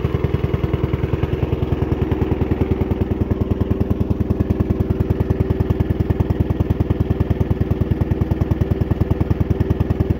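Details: The Suffolk Demon with a 75 G 14 motor, first start after a month of work: the small single runs at a steady, tightly even putt-putt beat with no misses or knocks, sounding healthy.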